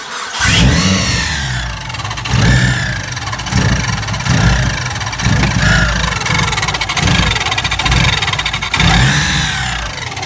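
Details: Mitsubishi Evo 6 turbo petrol engine being revved: a high, sweeping screech each time the revs drop off throttle, along with poor recovery or throttle response.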